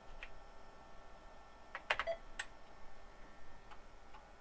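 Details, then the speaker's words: Tandy 1000HX with a modified standard replacement floppy drive, booting MS-DOS 2.11 from the internal drive: sharp, irregular head-stepping clicks over a quiet background; drive works normally. "Clicky, clicky, click. Yes, it's working."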